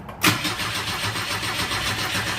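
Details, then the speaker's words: 1977 Ford Escort Mk2, just collected: even starter cranking about five beats a second, spins freely but never fires; oil light stays on, fuel gauge not moving so tank likely dry, plug leads off. Cause suspected, not confirmed. "Uh the fuel gauge is not moving. So that probably that probably means that probably means that uh the tank's pretty dry."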